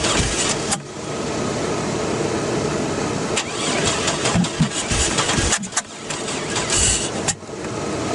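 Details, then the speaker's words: 2001 Chevy Blazer crank-no-start: starter cranks steadily in uneven bursts with a fresh battery fitted, but the engine never fires; owner suspects distributor timing, and nothing is holding the distributor down. Cause not confirmed. "she won't start they had this holding the distributor top didn't work and now I'm not sure there's nothing holding it down down there now but still won't fire"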